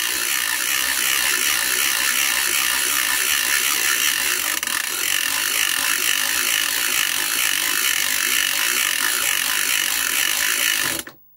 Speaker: and there it is it's tingling along on a nice relaxed pace